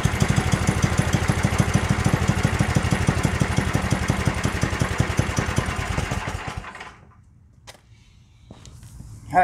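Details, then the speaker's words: Yardworks 27-inch two-stage snowblower, pull-started because the electric starter seems dead: quick, even firing pulses for about six seconds before shutdown, so the engine runs smoothly. The drive still has issues, with R1 creeping forward. "guys so that's uh that's good here we got this thing up and running"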